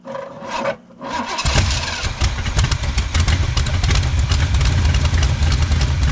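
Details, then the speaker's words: 1977 Pontiac Firebird V8 that had sat abandoned for over 36 years: it fires up and settles into a deep, slightly uneven loping idle, steady and strong, with no smoke. Healthy, and it sounds like it has an aftermarket cam. "t put a little cam in it or something you know but Dam that thing sounds good no smoke or anything"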